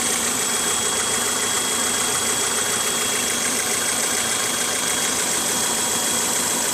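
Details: 1998 Honda CR-V petrol engine at idle: a steady, thin high-pitched whistle above an even hiss.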